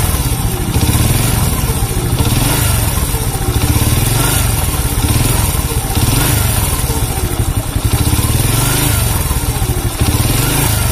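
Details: Honda C100 engine at a fast idle: steady, coarse mechanical rattle over a low, pulsing single-cylinder beat; rough engine noise with sluggish pull, source not pinned down, possibly cam chain, cause unconfirmed.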